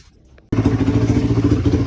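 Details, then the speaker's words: Tao Tao bike after a new carburetor install, fuel screw two turns out and idle screw adjusted: the small single engine starts and settles into a steady, even putter with no misses or knocks, a healthy idle. "All right guys, so as you can hear, the bike is running good, no problems."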